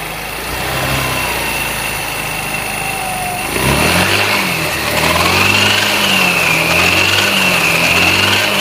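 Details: Chinese 157 engine idling then revving: high whining hum rising with engine speed from the variator; cause unknown.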